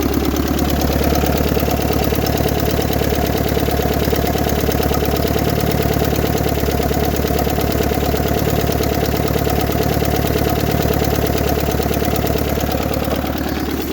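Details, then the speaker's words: Nissan Figaro turbo engine at idle after new turbo gaskets, distributor cap, rotor, plugs, leads and timing set: runs smoother but sharp regular puffing tick from a blown downpipe-to-cat gasket exhaust leak, not yet fixed. "as you can hear although it's running a lot more smoothly there is still an exhaust leak"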